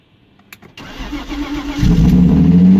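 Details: BMW E36 project car, first start in a long time after reconnecting the battery: brief crank, then the engine catches cleanly and settles into a steady, even idle with no knocks or misfires.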